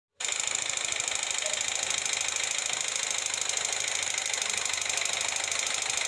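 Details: Yamaha Vega ZR engine running with a loud, rapid metallic "klotok" clatter. The cause is a loose, worn piston slapping the cylinder, fixed by fitting an oversize piston (75 instead of 50).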